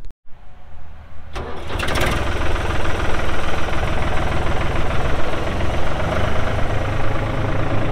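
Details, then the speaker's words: 1999 New Holland TN65S tractor, 4,162 hours: brief crank, diesel fires promptly and settles to a steady even idle with smooth low clatter, no misses; engine sounds good, AC cold, hydraulics strong. "like I said AC is blowing cold Hydraulics are strong engine sounds good"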